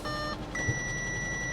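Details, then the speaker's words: 2004 Chevrolet Corvette C5 Z06, 160,000 miles, runs poorly, suspected coolant reservoir failure, dipstick missing; short tone, pause, then longer steady chime in quiet cabin with "check coolant level" message: low coolant warning chime. "turn engine off and check coolant level oh yeah about as expected"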